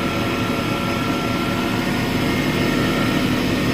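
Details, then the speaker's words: Smithy AutoMate CNC LT1440 lathe after spindle replacement, winding down, air compressor in background; smooth, even hum with clean steady tone, no knocking, grinding or rumble; spindle quiet and healthy. "Boy, the guys that run this, when they come in today, they're going to just flip because it's so quiet and smooth."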